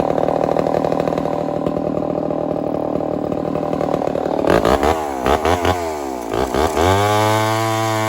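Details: Homelite 1050 100cc two-stroke chainsaw with 404 chain, first cut in wood: runs rough, bogs and surges repeatedly, struggling to hold revs under load; owner suspects an air leak, unconfirmed.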